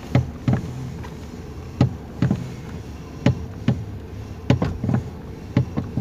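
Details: 2019 Toyota Rush, engine idling, steering wheel swung left and right: sharp knocks in pairs about every second from under the column; suspension checked good, cause loose steering column bolt and bushing.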